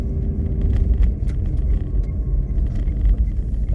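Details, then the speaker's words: Renault Duster driving and accelerating, engine not yet warmed up, cold cabin with the heater on setting 1: only a steady road rumble inside. The dashboard creak and crackle heard before the rubber strip was fitted are gone. "полная тишина в салоне нету скрипа нет тут потрескивания характерного такого который был ранее до резинки"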